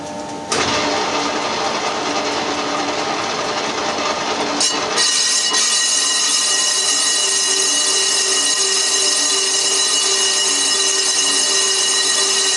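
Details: Cast-iron 1930s Studebaker front brake drum being skimmed on a Colchester Triumph 2000 lathe in a 4-jaw chuck; harsh steady high-pitched ringing screech, tool chatter, suspected drum ringing, persists once started.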